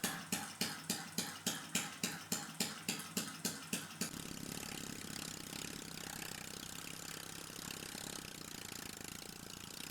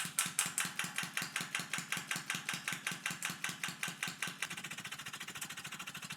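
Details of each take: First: the engine was off to a smooth start and took around 50 seconds to stabilize the tank pressure at around 0.45 bar Second: Small liquid-air-driven piston engine running at tank pressure just over 0.4 bar: sharp regular click every stroke from large crankshaft play, thought to throw the piston off center where unsupported by the cylinder.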